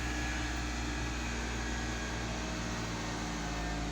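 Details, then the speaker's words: 2002 Mitsubishi Galant after fixing a no-crank, no-start caused by a burned-out ignition switch, after the starter was replaced repeatedly. It now starts: smooth, even low hum with a faint steady whir, no knocks or stumbles, no check engine light; normal idle. "and the motor is running no check engine light"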